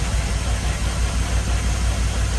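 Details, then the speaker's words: LS-swapped Unimog 404, after fixing overheating, coolant refilled: deep V8 idle with an uneven, lumpy, regular stumble; feeling the exhaust shows the rearmost cylinder cold, so that one is misfiring, cause not yet found. "that one's hot that one's hot you feel that misfire"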